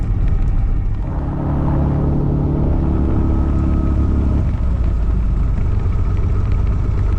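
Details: Piper Turbo Arrow IV after three years grounded and maintenance, taxi check of steering, brakes and engine instruments before test flight: deep steady low rumble with smooth even hum, no roughness or miss; piston engine sounds healthy.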